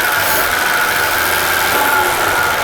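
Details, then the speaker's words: 1954 Chevy Bel Air, first run after carb, fuel and ignition work, no coolant and warming up: keeps running with steady, even hiss after key turned off, won't die; engine run-on (dieseling). "it's not dying it won't turn off yeah yeah we got here we go"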